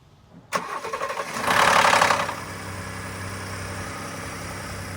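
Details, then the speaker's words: 2018 Ford F-150 3.5L EcoBoost (Gen 2), about 69,000 miles, cold start after sitting: harsh metallic rattle for about a second as engine fires, then steady idle; cam phaser rattle. "I've just recently started to hear this sound come out when I'm starting it and this usually happens after the truck has been sitting for just a little bit of time"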